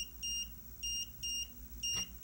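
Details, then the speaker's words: Vehicle DVR camera monitor: a high double beep repeats about every half second when one or more cameras have no video. This alarm tone differs from the not-recording alarm and shuts off automatically after an hour or two. "And this is what happens when you don't have a video on one of the cameras. You can hear that double beeping sound every"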